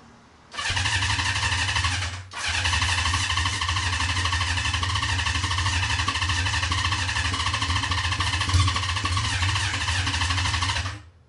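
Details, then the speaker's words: Honda CB550 with no muffler, running on starter fluid instead of its dirty gas tank: loud, raw, steady exhaust bark with an even beat, holding speed cleanly; runs well. "I think that's probably good for all my neighbors get a little bit too aggravated cuz like I said it doesn't have a uh a muffler on it so it's obviously Extremely Loud so good to go"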